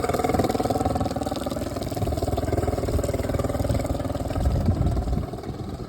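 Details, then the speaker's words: 2011 Tracker Super Guide 16' boat, original Mercury 40 HP outboard, under 60 running hours, restarted and idling in neutral: steady even burble, about four pulses a second, no knocks or misses. Normal idle. "And I'm going to turn the engine off and turn it back on so you can hear what that sounds like."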